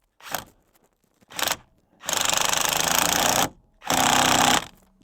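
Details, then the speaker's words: Impact driver tightening a seat belt receiver bolt with captive washer on a 2001 Ford F-250, run until the tone changes to show the bolt is fully seated: bursts of rapid hammering then steady rattling impacts. "And for me, the torque value is until I hear that change in tone in the torque in my impact driver. Let me know that I've got the bolt fully seated."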